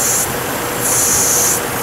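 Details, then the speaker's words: Chevrolet Trailblazer with misfire and performance issue, at idle: loud sharp hiss of rushing air that swells and fades, a vacuum hose came off plus a second intake vacuum leak found. "You got more and more clouds. Vacuum hose came off. I hear that? Yeah. But Bill is right. It's a leak over here too."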